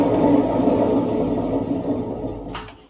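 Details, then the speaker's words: Washing machine with worn drum bearing, door open, drum turned slowly by hand: rough, gravelly grinding rumble fading as it stops; noise grows worse on spin as the machine speeds up; bearing set to be replaced. "bunu sıkmaya aldığımıza bakın sesi duyuyorsunuz benim elimle azıcık döndürme bile bile ne kadar kötü ses çıkartıyor"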